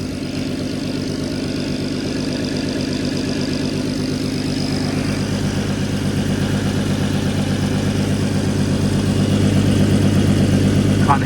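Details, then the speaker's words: MK5 Golf R32 VR6 turbo after fitting custom 3-inch straight-through exhaust with resonator and large back box, checked for leaks by feel: smooth even idle, deep steady pulse, no ticking or puffing; exhaust sealed, healthy. "any [Music] sounds good to me yeah sounds really good to me"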